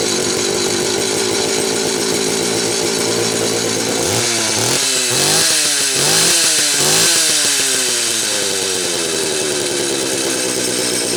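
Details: Late-'80s/early-'90s Homelite 330 two-stroke chainsaw after new hoses, carb kit and tank duckbill valve, following storage. Idles steadily, then several blips with revs climbing crisply and dropping back smoothly; runs well.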